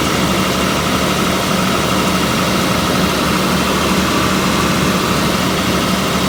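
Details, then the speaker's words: 1989 Jaguar XJ6 Vanden Plas run after sitting unused for years: a steady idle with a slightly uneven, wavering beat underneath. Rough idle; owner suspects the intake needs cleaning, cause unconfirmed. "Yeah, it probably just needs the intake cleaned up. Something going on."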